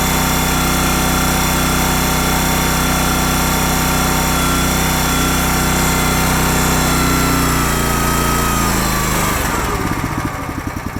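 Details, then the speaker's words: Honda GX240 with Keihin carb after carburettor troubleshooting for lean surge, being run out of fuel. Steady, even single-cylinder beat with no surging or misses until it starves of fuel and dies. Normal running. "I'm not gonna let the video run the whole time, but that sounds normal to me."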